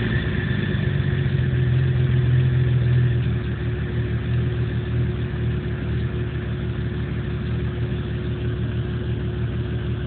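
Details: 1997 Jeep Cherokee petrol engine idling rough with a low, uneven rumble pulsing about three times a second; no codes or check engine light, cause unknown.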